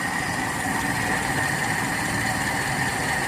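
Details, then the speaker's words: Toyota Kijang Kapsul 7K carbureted engine, warmed until the thermostat opens, after carburetor setting: steady, even idle with smooth low rumble, no misses, knocks or surging; normal idle. "enak sekali menurut saya stasionernya ini. Enak sekali menurut saya."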